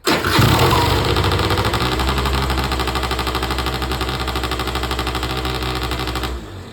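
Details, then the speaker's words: Auction-bought Peugeot Speedfight 2 100cc two-stroke with Leo Vinci exhaust, first start: catches straight away, fast buzzy loud tick-over that hardly drops; idle set too high; possible fueling and electrical issues suspected. "Seems like it's revving a little bit too high, a tick over for my liking, but there we go."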